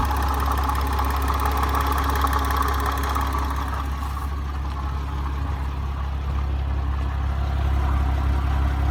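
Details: Porsche Cayman petrol engine idling evenly with a light, regular tapping or knocking about three taps a second over it.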